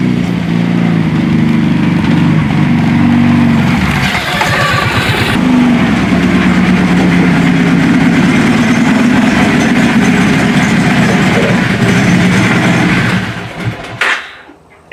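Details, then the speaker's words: 2005 Kawasaki Prairie 700 V-twin ATV, just revived after long storage, rebuilt with jet kit: uneven lumpy ragged idle, blowing smoke, smells rich and carb overflow overflowing; owner suspects a sticking float causing too much fuel. "looks like we're blowing a little smoke out which it looks like it's too much fuel actually it smells like it's too much fuel"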